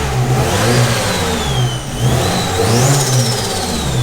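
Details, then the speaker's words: SR20-powered Nissan 180SX, first start after new turbo, 1000cc injectors, fuel rail and pump, on E85 at about 40 PSI base fuel pressure, untuned: crisp clean free revs, no misses, knocks or rattles. "it's running E85 sitting around 40 PSI base pressure and yeah it's running really smoothly so obviously it needs to go off and get tuned now but it's running pretty nicely"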